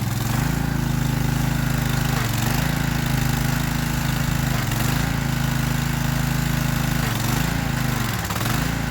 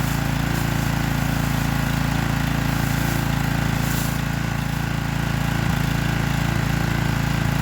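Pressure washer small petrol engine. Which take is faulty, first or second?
first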